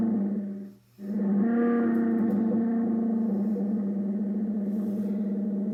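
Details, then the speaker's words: Ten Tec Paragon 2 HF receiver in AM mode on WWV at 10 MHz, being debugged after a bad AM/FM board connection was fixed. Synthesizer noise persists plus feedback from the volume control; steady buzzy tone near 220 Hz over hiss. Source unknown (owner suspects PLL). "I'm still hearing synthesizer noise. So now sounds like some feedback too from my volume control here. Some kind of feedback."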